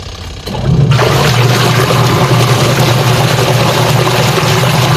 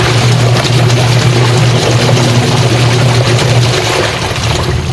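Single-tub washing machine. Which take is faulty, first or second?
second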